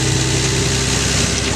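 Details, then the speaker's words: Lexus SC300 after replacing a fuel injector with a leaking seal, timing verified at 10 and spark plugs gapped to about 0.042–0.044. Smooth, steady idle with an even tone and no stumble or skip; engine running cleanly. "But she sounds good. Everything up front here seems like it's operating correctly. It sounds pretty decent."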